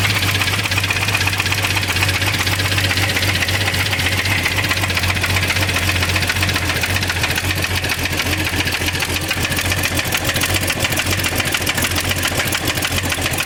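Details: 1989 Jeep Cherokee XJ, 4.0L stroked to 4.6L I6, run with the valve cover off and rockers exposed: a rough, uneven tapping at roughly four a second; loose valvetrain part suspected, sounds like cylinder number 6, unconfirmed engine knock.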